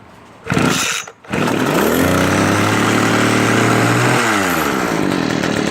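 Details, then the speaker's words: String trimmer two-stroke after replacing damaged fuel lines that delivered no gas, with universal lines: catches, revs, then holds a steady, even buzzing drone; not leaking, running smoothly after repair. "It's working. Not leaking. It looks good. It's ready."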